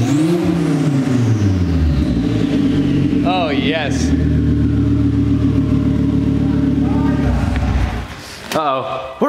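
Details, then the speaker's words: 2004 Volvo V70 R with the catless downpipe removed, no exhaust after the turbo, heard from the rear: raw exhaust roar swells with each throttle blip and a clear turbo whistle rises and falls with revs. "let me go to the back and let's listen to this bad boy with no exhaust [Music] that turbo's singing"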